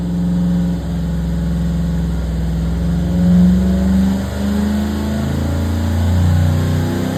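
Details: 534ci big-block Chevy V8 on the dyno, making a pull with a 3-inch air cleaner fitted, about 626 hp and 650 lb-ft. A deep, heavy roar held strong under load, smooth with no knock or misfire. A normal full-load run.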